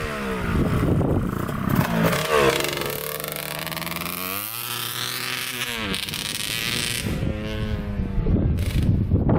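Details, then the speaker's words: 1989 Kawasaki KX125 two-stroke on its first ride after replacing the power valves: revs rise and fall unevenly and sag, bogging badly under throttle; owner suspects the pipe is plugged again, possibly by another power valve piece. "all right so first ride didn't go so well uh it's doing the same thing sounds like it's like bogging down really bad"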